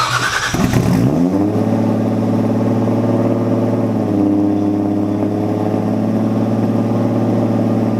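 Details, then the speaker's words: Datsun Z startup test after the newly welded exhaust was fully sealed up: it catches after a brief crank and settles into a steady, even drone. Normal exhaust note. "will do another startup test I want to hear what the exhaust sounds like now that it's all sealed up"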